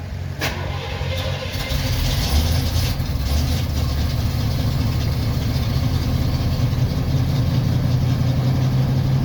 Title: 1977 Chevy Corvette (Hard Starting) Cold Start